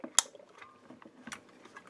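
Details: Breville Barista Express old solenoid block (Olab valves) bench-tested on 120 V, drawing about 80 mA and 6.7 W: one crisp click when energized and a softer one about a second later, switching normally with no buzz.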